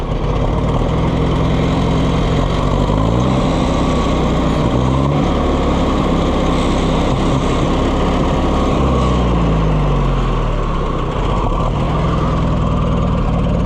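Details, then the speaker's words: Oliver 550 loader tractor, long abandoned, just started: uneven stumbling idle with dropped beats, barely running; owner says it only runs, kind of, with the choke pulled out; misfire at idle, cause not confirmed. "Missing out. If I pull the choke out, I can get it to run. Kind of."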